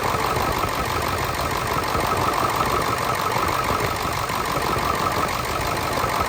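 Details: Ford 7.3 Powerstroke diesel, started in the morning at about 70 degrees outside, earlier seen with blow-by: steady idle clatter, even rhythm of about three beats a second, no odd knocks. Smoke cleared; owner suspects an injector.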